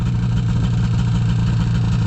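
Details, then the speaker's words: Liquifire two-stroke snowmobile at 20°F: a steady, even idle burble with no stumbling after the choke plungers were adjusted one and a half turns to 0.030". This seems to fix the long-standing bog from quarter throttle up. "now that's definitely more like it's supposed to be I think we got her fixed"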